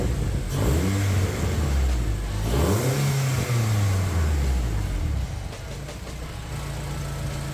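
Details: Honda K24-swapped Toyota Camry with a newly built turbo setup and full exhaust, first start, revved: loose, uneven crackle and popping on overrun; untuned turbo engine, cause unconfirmed; exhaust flanges found leaking.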